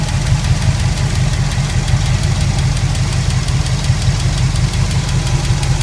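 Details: Pontiac 400 V8 with a steady, fast tick, about three taps per second, over a rough idle; owner suspects a bad lifter, unconfirmed, and plans a teardown.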